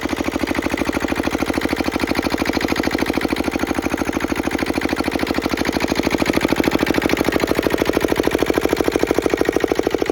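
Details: Petter AA1 diesel water pump, started cold after sitting a week: steady, even thumping beat with a faint injector-pump tick; running healthy.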